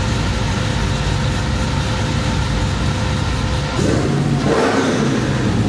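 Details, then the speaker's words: 1972 Chevelle with LS swap and Whipple supercharger, after tuning fixed an earlier misfire: deep V8 rumble revs sharply and drops back cleanly with no stumble or popping; clean, snappy free revving. "That's how it's supposed to sound. Yeah. See how snappy that is?"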